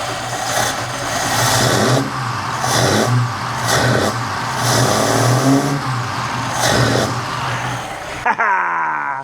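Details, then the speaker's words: Mercedes Unimog 404 project, first run: uneven revving with surges and sags about every second; engine running but misfiring. "Hey! It's misfiring, but that is a running Unimog, ladies and gentlemen."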